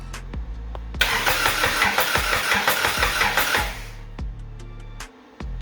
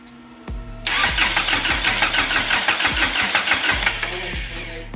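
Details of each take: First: Even, strong cranking at roughly three beats a second with no fuel yet on a Lotus-engine-swapped Toyota Hilux, first spin-over after wiring; the engine turns over healthily. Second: Lotus-engined Toyota Hilux swap, first start after the starter fix: starter whirs briefly, engine catches with a rough uneven roar for a few seconds, then sags and dies; fires but won't keep running, cause unconfirmed.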